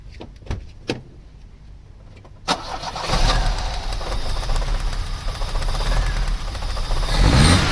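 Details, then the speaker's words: Vauxhall Cavalier GL, 1.8 litre with SRi 130 top end, 45,000 miles, new head gasket: handling clatter, then lumpy stumbling idle during plug-lead pull test; cylinder 3 misfire, spark present, injector suspected. "This should run horrendously. I'm taking that one off. problem with cylinder 3. That's definitely the one that's giving us the problem."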